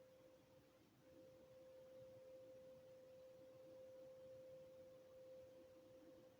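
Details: Steady mid-pitched hum heard outdoors in Swansea around 5:45am over faint hiss, suspected to come from industrial activity in Morriston. Source unknown. Distant tonal hum.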